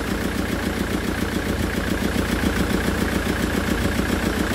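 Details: Land Rover Defender Puma 2.4 TDCi, first start after rebuild with new wiring loom and oil pump, bled fuel system: steady diesel clatter at about three and a half beats per second, no misses or knocks; smooth healthy idle.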